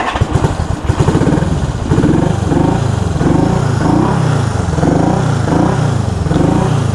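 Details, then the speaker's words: 1974 Honda CB360 twin on a test ride after a points adjustment. Lumpy, uneven lope with bunched pulses and gaps as it revs: running on one cylinder. The left cylinder is dead because the points cover pushed the left wire in and grounded it, so no spark. "that's a bummer. It's only running on one cylinder."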